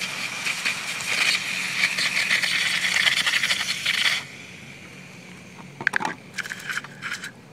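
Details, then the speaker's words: Titan 12-turn 550 brushed motor in two-wheel-drive RC monster truck under heavy load, ESC blinking: harsh steady hiss and crackle about four seconds, then quiet with scattered clicks; motor barely spins, can't move vehicle, burned out. "it's just spinning just a little bit nothing to make the vehicle move I think that this motor has done it"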